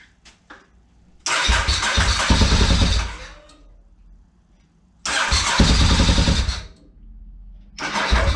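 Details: 2003 Honda RC51 SP2 V-twin first start after repairing rodent-chewed main and injector harness, cam sensor, pair valve and TPS wiring; fires and catches, two sharp throttle blips, drops to lumpy idle; running properly.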